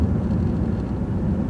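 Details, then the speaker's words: 2001 Jaguar X-Type 2.5 V6 petrol manual after a DIY transfer box oil change, recorder on the floor near the transfer box, at 60 mph then 30 mph in fifth: low steady road rumble, no whine or grinding, transfer box sounds healthy and smooth. "so I'm rolling along at 60 MPH in fifth gear and it's sounding very smooth"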